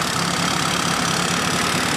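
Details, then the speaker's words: Fiat Panda 4x4 Sisley petrol, fuel injected: steady idle with a slightly uneven low beat and small stumbles, running very rich, fuel pressure near 20 psi where about 10 psi is expected; rough idle from excessive fuel pressure. "so as you can see is running pretty damn rich right"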